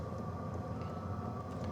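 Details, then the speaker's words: BougeRV diesel heater newly installed for truck-bed camping, first run: steady, even hum with a faint constant blower-fan whine and no misfires or surging; warm air already coming out inside, running normally. "So you can kind of hear it running. It's pretty quiet."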